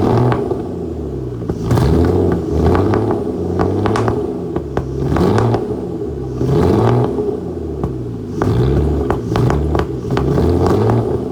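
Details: Flood-damaged Aston Martin DB9 starting with lots of smoke: lumpy, uneven running with irregular exhaust pops and surges as the engine stumbles on some cylinders, a misfire.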